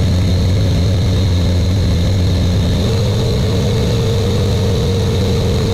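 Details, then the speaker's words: Buick Grand National with newly rebuilt engine, second 10-minute cam break-in run: deep, steady drone with an even pulse, no knocks or ticks; normal fast idle. "we got the first 10 minutes of breaking in the can done now we're gonna do the second one I'm gonna start it up now and do it"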